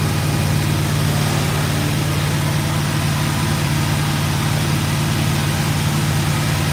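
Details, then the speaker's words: GMC truck with headers, first start after build: deep steady idle with a loose puffing chuff under the rumble; exhaust leak to fix, oil pressure good. "oh yeah we're in good shape she farts like a kitten I got an exhaust leak to fix sweet"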